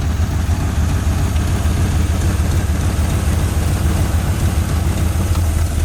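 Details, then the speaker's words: 1981 Ford Mustang 5.0 V8 revived after sitting, no cooling fan fitted yet, idle possibly a little high and attributed to timing: deep, steady, even rumble with no knocks, misses or ticking; normal healthy idle. "pedal hope not very good brakes that's exciting I'm happy engine sounds really good very healthy"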